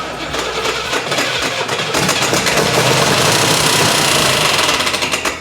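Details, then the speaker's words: 1980/81 Camaro Z/28 4-speed V8 revving with a harsh, fast clattering rattle that rises with rpm; the owner guesses the fan is hitting the shroud and believes he fixed it. "The horrible noise, my guess is fan hitting the shroud. And I think I just fixed it."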